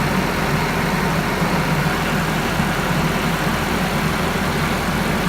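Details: Nissan KA24DE engine after replacing ignition switch to fix starter click no-start: steady even low idle with no misses, knocks or ticks; engine now starts and runs smoothly.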